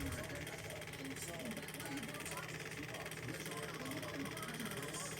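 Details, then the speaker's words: Cheap early-2000s/2010s fan running fast: whirring with a rough, uneven rattle and wavering hum over the airflow; worn fan bearings. "The bearings are all messed up. It sounds like trash. Surprised I'm still running."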